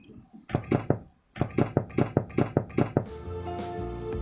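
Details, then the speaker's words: Used-car body inspection, knuckle tapping a panel: about eight quick taps giving dull, flat thuds with no metallic ring, showing the panel was repaired with body filler. "Karena kalau bodi mobil pernah didempul, maka suaranya akan seperti ini."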